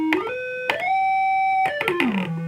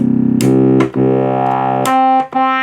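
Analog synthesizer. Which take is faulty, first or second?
first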